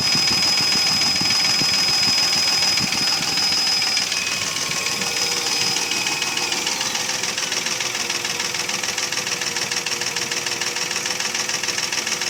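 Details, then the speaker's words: Mercedes ML320 with M112 3.2 V6 running with steady hollow knocking about three per second: piston slap, pistons loose in badly scored cylinders (engine not sleeved from factory). "Но суть того, что задиры, это стук из-за задиров. Поршня болтаются в гильзах. И вот этот стук издается такой."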